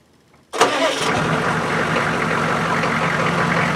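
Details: 1993 GM 6.5 Detroit diesel plow truck started after an oil and filter change, sitting up on ramps: it cranks briefly, catches within a second and settles into a steady, even idle with no knocks or misses.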